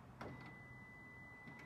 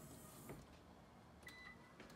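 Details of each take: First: 2013 Lexus RX350, 156,000 miles, failing power liftgate motor/actuator: short latch clack, faint electric buzz about a second, another clack as it relocks; gate tries to open but doesn't; liftgate latch releasing and relocking without opening. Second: 2013 Lexus RX350 with 156,000 miles, after the power liftgate motor actuator was replaced (before, it gave a long beep and no movement): a steady motor hum, then the gate latches with a solid thunk. Normal operation.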